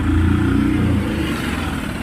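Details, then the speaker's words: Mahindra Supro BS6 diesel that would not start with SCR/DTC fault codes; after reset (tank level, 50 km shown) and clearing codes it starts: steady low diesel rumble, even firing, settling smoothly. Urea (DEF) pipe then found burst. "अभी इसको start होना चाहिए। देखिए start कर दिया,"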